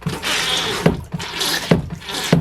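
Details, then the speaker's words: Dometic 300 series (believed model 310) RV toilet after replacing leaky valve and ball seal: water rushes in short surges with a clunk at each pedal stroke, quiet between, no trickle; filling and flushing properly, no leaks. "just like to fill the bowl with some water and just dump it real hard, fast, a few times, and just to make sure everything looks good."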